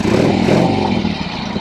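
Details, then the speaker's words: 1976 Harley-Davidson Sportster riding off after cold start: loud lumpy V-twin rumble pulling up evenly, no knocks or clatter; normal running after cold start. "Sounds good, sounds good. These things are a hoot, an absolute hoot to ride."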